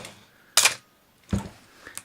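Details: Canon AE-1 Program 35mm film SLR with 50mm FD f/1.8 lens and a fresh battery, shutter at 1/1000 (fastest speed): one crisp, snappy clack with a quick mirror slap and no drag. Normal shutter operation.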